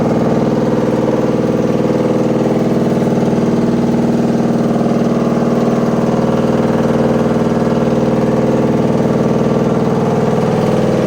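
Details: Washing machine with loud rumbling during spin: a steady deep rumble with a regular heavy thump about twice a second throughout, like a load of bricks; cause unclear.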